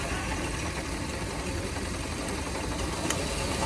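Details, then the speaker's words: 2000s Hyundai Accent at idle with misfire, probably cylinder three: uneven, loping stumble under a steady rumble as it nearly stalls when a coil is unplugged, then idles back up; a cylinder dropping out, coil suspected. "idles back up so we got a misfire and this guy right here"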